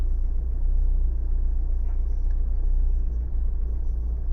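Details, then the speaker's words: Renault/Dacia 1.5 dCi diesel idling cold, with a deep uneven chug and a shaking, lumpy beat, as if running on three cylinders. One injector shows high back-leak test values when cold; it misfires until warm, about five minutes. "Yeah, it's shaking a lot. You see, now it starts really misfire."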